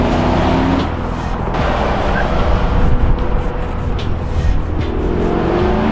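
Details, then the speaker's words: Race car on track, driver's heel-toe downshift fails to raise RPM to match engine to transmission: engine note drops on corner entry with rapid chattering bursts as the rear end binds and locks up; unmatched downshift rear lockup. "it's actually causing the rear of the car locking up so as he's going into the corner you can hear the chatter of that rear end binding and locking up"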